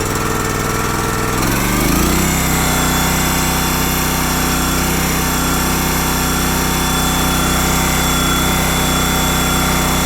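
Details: Honda GX240 with Keihin carb after carburettor troubleshooting for lean surge, being run out of fuel. After a short settle, steady, even chatter at constant speed with no surging or hunting. Normal running.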